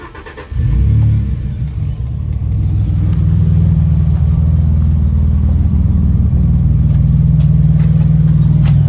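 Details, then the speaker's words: Peugeot 605 SV24 V6 starting after exhaust line repair welded with a recycled old motorcycle silencer. Quick crank, fires and settles to a loud, deep, steady idle with no puffing or ticking: normal start and idle, louder but sealed. "C'est mieux. Pas mieux le bruit? Si."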